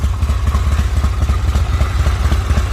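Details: Owner-built Harley V-twin at idle: steady loping beat at about four pulses a second, even and unbroken with no knocks or rattles. The owner sees nothing wrong; healthy idle.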